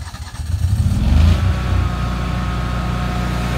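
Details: Kohler standby generator during routine maintenance, started from SiteTech software in auto as a full-speed exercise after a firmware upgrade, not under full load: brief cranking, then it catches and settles to a steady, even low drone with no surging; normal start-up.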